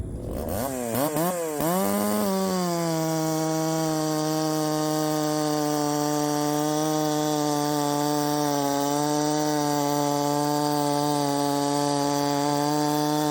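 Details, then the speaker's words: Chinese 372XP clone chainsaw: revs up, then holds a steady strained tone in the cut, barely 10,000 rpm, with noise up top; timing too far advanced, to be backed off. "too much Advance we're going to take some out too much Advance that's when all that noise is up top"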